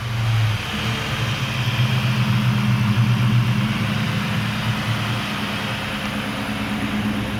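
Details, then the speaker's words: 1996 Mustang GT with a rebuilt Cobra engine under 1500 miles old (forged rotating assembly, aluminum block, Cobra B heads and cams, tuned): throaty blips settling to an even idle, no knocks or ticks; healthy. "she's pretty throaty. Sounds pretty good."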